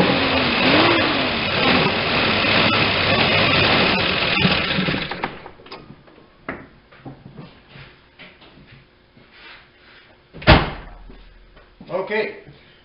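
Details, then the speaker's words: 1989 Ford Ranger 2.9L, sat 8–9 years, first run after revival prep: runs steady about five seconds with even beat, no knock or rattle, then shuts off; builds oil pressure, sounds decent for a clattery 2.9. "built oil pressure the motor actually sounded pretty reasonable for a 2.9 these are known for being a little bit clattery they make some noise and this one sounded pretty decent"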